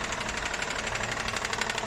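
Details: Honda CR-V: rapid, even ticking knock riding over the running engine at a steady rate; engine knocking, cause not pinned down.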